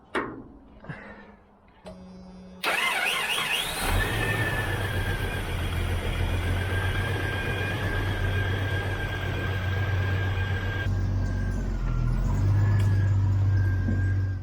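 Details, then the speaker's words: Jeep YJ/TJ after TIG-welding cracked exhaust header and new exhaust, on recharged battery: cranks and catches into steady idle with a quick even tick about four a second; exhaust leak suspected at manifold, bolts to be re-torqued after heat cycle. "there's a exhaust leak uh most likely from the manifold sounds like it at least"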